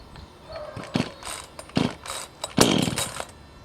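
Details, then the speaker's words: Chainsaw cold start on the ground, switch set to full choke: several rasping starter-cord pulls, then a short sputtering catch that fades within half a second. The engine fires then dies, as expected on full choke from cold. "Set the on-off switch to allow full choke for cold starting. Pull the starter until the engine fires, then dies."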